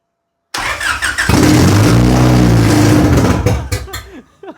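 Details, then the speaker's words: Honda H22 engine on a FuelTech FT450 standalone ECU, first start, engine cold: brief crank, catches and runs a strong even beat for a few seconds before cutting off; idle screw likely needs raising; normal start. "That's successful. Even when you were bluffing it, it's just like squeak."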